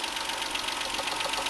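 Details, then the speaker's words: 1994 Toyota Mark II JZX90 twin-turbo 1JZ, RWD, 168,000 km, at idle: fast tinny ticking rattle from something loose in the engine bay, possibly a heat shield, not inside the engine; the engine is also misfiring. "That sound is due to rattling inside the engine room, not inside the engine."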